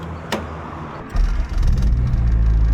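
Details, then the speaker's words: Car after swap from D-series single cam to a B20 engine with a new exhaust and muffler, replacing open headers: deep even muffled idle with no popping or rasp; normal exhaust note. "much better. Oh yeah, that sounds nice. That sounds really nice."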